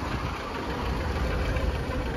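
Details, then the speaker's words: 2006 VAZ Lada Kalina 8-valve won't hold idle and stalls: idle drops below 500 rpm, lumpy, shaky, no steady rhythm, engine vibrating. Owner replaced all sensors, including idle control; scan shows the MAF sensor at 1.25 V. "Оборот, яғни өте төмен 500-ден де түсіп кетіп тұр. Өте төмен. Оборот өте төмен екен. Мотор жағы тірайт етіп дірілдеп тұр."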